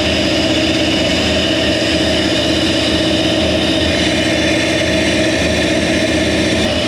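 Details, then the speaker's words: Toyota 1UZ V8 conversion in a Landcruiser idles rough and lumpy with a stumbling beat about four per second; cylinder number two is dead because its injector connector was not plugged in properly. "maintenant donc numéro deux, la broche de l'injecteur venait de le faire, elle n'était pas branchée, il n'y avait aucune sorte de symbole de racine et n'avait pas été branché correctement"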